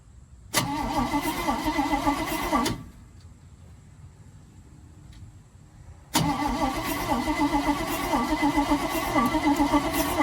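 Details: 1971 Chevrolet C40 truck after extensive carburettor cleaning: two bursts of steady, fast starter cranking with an even chug, never catching; no spark.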